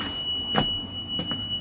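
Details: 2006 Thomas C2 Conventional school bus, cold morning around -20: steady high-pitched Vandalock anti-vandal alarm tone in cab, no start; suspected rear door switch/pin not making contact when door closed.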